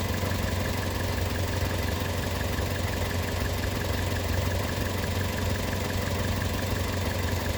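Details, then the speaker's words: Petrol engine idling steadily and evenly after an induced vacuum leak via PWM-driven purge valve is switched off; O2 sensor switching normally again, fuel trims near zero. "And now it's switching. And now it's happy again. Fuel trims are pretty much at zero here."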